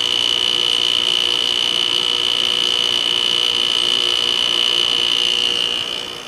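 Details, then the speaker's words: 2001 General Electric Quiet Aire air conditioner, LG Hero compressor just switched on to cool after sitting unused over a week during fan bearing replacement: steady high whine over even hiss, fades at shutdown; owner suspects it will quiet down once running, cause unconfirmed. "it'll probably quiet down once it starts running this hasn't been run in a while obviously took over a week for the bearings to get here"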